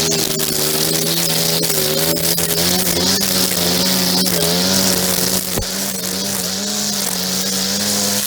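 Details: Echo SRM-2400 string trimmer, believed mid-1990s, slightly bigger engine than the SRM-230, just started after priming and choke. Steady, high buzzing two-stroke holds an even pitch with only slight wavering; running smoothly and healthy, though it vibrates a lot.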